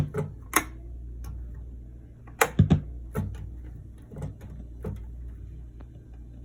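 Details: 1979 Roland RS-09 string synth, previously had output-board capacitors replaced: irregular sharp pops and crackles, a few each second, over a low hum; intermittent crackling output; owner suspects the HA1457W chip, possibly damaged by a drop that cracked the controls PCB.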